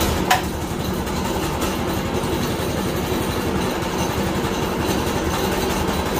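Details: 1990s Manco Thunderbird minibike after swapping its dead 4 hp engine for a Harbor Freight Predator 212 6.5 hp, first start and heat cycle with a temporary throttle return spring: small single-cylinder running with a quick, steady, even chatter; healthy.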